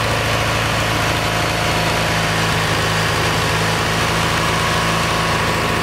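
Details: Kohler Magnum 20 engine, about 40 years old, at operating temperature after carburetor rebuild; mixture screw turned in from about 1.5 turns out to find the sweet spot. Steady idle, even low pulse, slight roughness. Owner suspects it needs a valve job.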